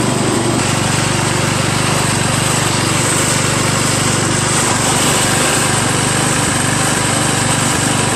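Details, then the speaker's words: Craftsman LT1000 lawn tractor single-cylinder engine after a new drive belt, on the first test ride: steady even drone with constant pitch and no knocks or misses; owner says it is a little noisy but the engine runs fine; normal running. "I just went around the block. Seems to drive fine. little noisy, but and the steering's kind of stiff. But made it back okay. Engine seems to run just fine."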